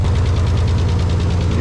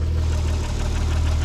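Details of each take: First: Nissan 300ZX, just restarted after a jump, ignition timing reading about 30–35°: deep, slightly uneven idle with quick light tapping from the upper engine; valve train tapping at idle, hoped to clear once bled. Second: Nissan 300ZX convertible idling after misfire diagnosis and injector testing: steady, deep, even rumble with no knocks or stumbles, idle pretty solid.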